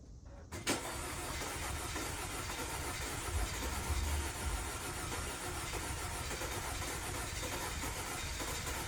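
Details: 2012 Audi Q5 2.0T B8, 103,000 miles, severe oil consumption (a top-up every 100 miles); first start after B-12 Chemtool treatment with old plugs refitted: really rough, lumpy idle, heavy white smoke, carbon from tailpipe, check-engine light flashing.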